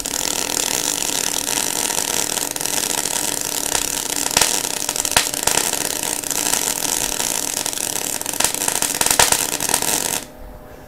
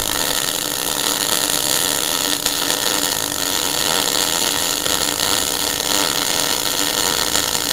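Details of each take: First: MIG welder arc with harsh frying hiss broken by sharp pops and spits, caused by holding the torch too far back with too much wire stick-out. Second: MIG welder after turning voltage up a fraction at the same wire speed: even fine crackle like bacon frying on the stove, a smooth arc with wire speed and voltage balanced instead of spitting and popping.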